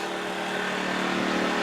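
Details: New TACKLIFE 1800 W inverter generator carrying an air conditioner load of 500–600 W: even, steady hum at a fixed slightly raised speed, no surging or hunting; running normally.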